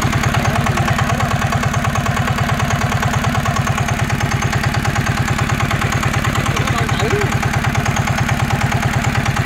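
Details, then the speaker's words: NF19 single-cylinder diesel, original and unmodified: rapid perfectly even thumping with no skips or clatter; strong, healthy, vibration-free running. "uôn anh em thấy đặc biệt của dòng cá này anh em nó gì chưa là nó không có rung nó không có lắc luôn á"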